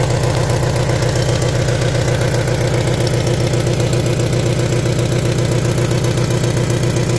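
Idle with a steady pulsing beat of about ninety a minute and a rough, uneven note; poor running, cause not pinned down. Cause suspected, not confirmed.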